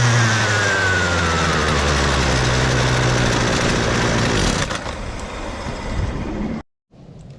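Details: Husqvarna 128DJX two-stroke string trimmer after carburetor replacement, previously bogging and not starting: steady, even buzz without stumbling, then drops off and cuts out; runs cleanly and doesn't bog.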